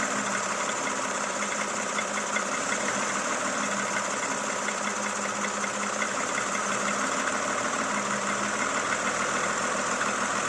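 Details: Toyota Camry XV70 3.5L V6, 30,000 km: fast, light, even ticking over a steady idle hum; engine knock, source unclear.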